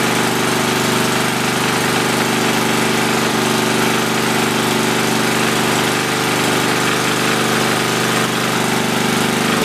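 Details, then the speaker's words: Tecumseh 10 HP single-cylinder engine after rebuild: steady, lazy, even beat that never comes up to speed; governed engine speed set too low, to be raised. "well that's good news um it runs it's completely low on engine speed i'm gonna crank it up a little bit and bring you back"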